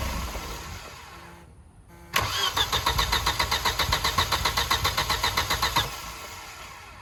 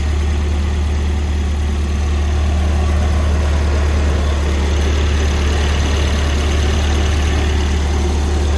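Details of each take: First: Volvo with fuel injection relay pulled, run on starting fluid after new crank belt: catches with a quick, fairly even beat of about four pulses a second, runs roughly three seconds, then dies; brief firing on starting fluid. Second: Volvo cold start after swapping its orange-label 503 LH 2.0 ECU for a green-label 510 LH 2.1: smooth, constant low idle hum with no lope or surging, unlike before. A wrong mass airflow sensor is fitted and gives some ignition ping. Normal cold idle.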